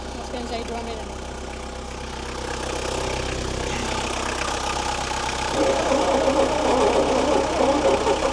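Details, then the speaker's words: 1972 Bedford J series truck engine: labours unevenly at about four beats a second, running only when fuel is tipped into the carburetor; fuel supply suspect. "Doesn't sound real healthy. The old engine. She's still only running off when I tip into her."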